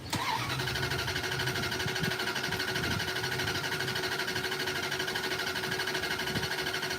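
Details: Car cranking with the fuel light flashing and fuel tank likely empty: long, even cranking at about 94 beats a minute with no firing; it spins freely but won't catch, out of fuel suspected.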